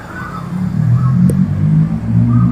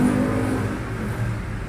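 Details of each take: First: Euro Samurai 150i motorcycle misfiring after hitting a pothole, before repair: low note surging and sagging unevenly; cause found as spark plug bent against chassis and broken. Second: Euro Samurai 150i motorcycle, after fixing a spark plug bent by a pothole impact, plug and cap checked: even steady low exhaust beat easing off, no misfires; running smoothly, fixed.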